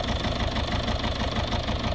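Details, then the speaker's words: Citroen C3 diesel at idle: uneven, lumpy pulses suggesting a misfire with no fault codes; owner suspects a fueling issue and plans a fuel filter change first; rough idle. "sounds like it's misfiring a bit but no fall codes um seems like a fueling issue"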